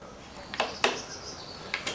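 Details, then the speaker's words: Bicycle upside down in stand, wheel turning: sharp dry clicks about once a second over a faint whir as a factory-installed, overly long rear gear cable housing catches a frame bolt each revolution, damaging it and causing sluggish downshifts. "You can see it's been catching on this bolt on every revolution and eventually pretty much destroyed it. So that's why your gears are not working."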